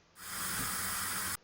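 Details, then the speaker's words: Water pipe leak heard on a concrete floor through the leak detector's sensor at another spot: a steady, even hiss rises for about a second with no rhythm, the leak sound coming up from the buried pipe. "그리고 또 다른 부위 소리를 들어보세요. 이 누숨이 올라오죠."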